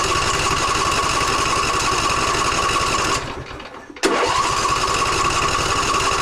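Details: John Deere E140 riding mower: small engine runs a few seconds, fades and nearly dies, then catches roughly; the fuel filter only dribbles cloudy water, so water-contaminated fuel is starving it.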